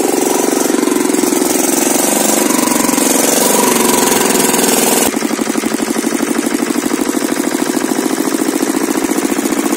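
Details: Kirloskar single-cylinder diesel engine, which had been cutting out while running, thumps along at a steady, even beat with an uneven rattle early on, then settles into a smooth run.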